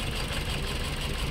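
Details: Toyota Altis with strong vibration and misfire that persisted after new ignition coils and spark plugs: low, shaky, lumpy idle with heavy shudder; one cylinder has no compression, suspected engine valve leak, cylinder head to be removed.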